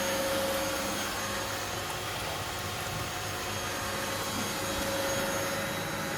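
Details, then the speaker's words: Miele W1613 Novotronic washer, about 17-18 years old, after an F63 error repair, top off and water supply shut: a quiet, steady, even spin with debris rattling inside. Normal spin. "It's got no top on it, but it's quite silent. It seems to be going faster now that it stopped having water coming into it there."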